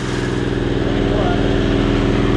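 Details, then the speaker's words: 670cc Predator V-twin in an E-Z-GO TXT golf cart, first fire-up, throttle held for 10-minute break-in while warming to temperature: even steady thrum at fast idle, no knocks or misses; running healthy. "sounds good though getting it up to Temp and breaking it in happy it runs everything runs good"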